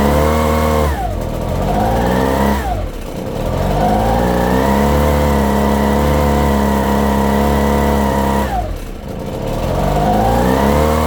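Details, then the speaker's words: Echo PB-250 two-stroke blower (50:1 fuel): the buzz rises and sags with the trigger, dipping hard on each let-off. It won't run without throttle; owner suspects the fuel mixture screws. "This particular one is not going to run without letting go of the throttle. So, I'm going to have to figure out why."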